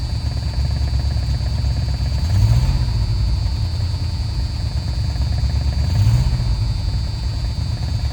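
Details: Dodge Ramcharger after startup: deep uneven running with a lumpy, stumbling beat and two heavier surges while revving; engine misfire.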